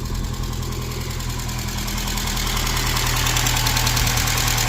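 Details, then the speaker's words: Saab 900 SPG turbo (T3/T4 hybrid turbo, open intake, modified exhaust), probably first start in about a year, on a jump pack: light, fairly even ticking about three per second over a rough idle; lifter tap. "Got a lifter tap going on there."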